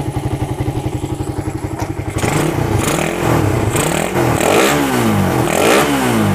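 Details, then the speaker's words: Suzuki Satria FU with a PWL/PE28 28 mm carburettor, cleaned and re-jetted (main and pilot jets) to cure hesitation when throttled, air screw now set; even idle pulses then clean rises and falls in revs, no stumble; carb seems right; normal revving. "Oke Bolo sudah Enak ni nampaknya kendor oke ya Jadi karbunya ini sudah pas sepertinya ya"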